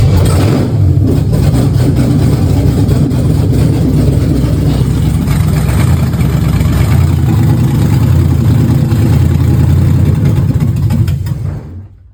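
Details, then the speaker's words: 1965 Impala V8 build after wiring was finished: catches into a deep, steady rumble with no knocks or misses, then shuts off; runs good, header problem noted. "But as y'all heard in the little small clip, it runs good."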